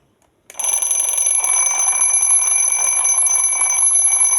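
A sudden, steady, shrill metallic ring starts and holds unbroken with even loudness; the twin-bell alarm is ringing normally at its set time.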